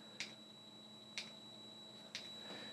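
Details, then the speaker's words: Webasto diesel heater starting up to heat a water tank at 4.2 °C. Crisp, faint ticks about once a second are its fuel pump metering normally during start. "there's the boo Barstow and if you can hear it starting there's a fuel pump pumping"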